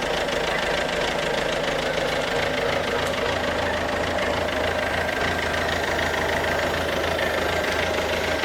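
Steady diesel idle with a hard, fairly fast tapping knock running through it, about three a second. Something's knocking, cause not pinned down.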